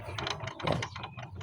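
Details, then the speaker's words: Yamaha Mio MXi 125 FI scooter, CVT and crankcase off, rear wheel turned by hand: rough ratcheting clatter of loose, worn final-drive gears. Noise had come from the rear under hard acceleration. Torque drive bearing also suspected rough; gear set to be replaced. "Yan, grabe yung ingay niya. Maluwag na yung gearings niya."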